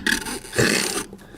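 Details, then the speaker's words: Short creaks and thin squeal from the dry front strut bump stop cup on a Nissan Rogue X-Trail T32 worked by hand, the squeak heard over speed bumps in sub-zero cold; fix is graphite grease. "это наш с вами звук при проезде лежачих полицейских. Вот он. Вот эта вот часть все скрипит."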